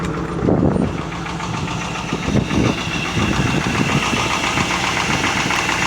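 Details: 1998 Chevrolet Camaro Z28, LS1 5.7 V8, bought as-is without keys: uneven idle with a deep repeating knock over the V8 rumble; owner suspects rod knock.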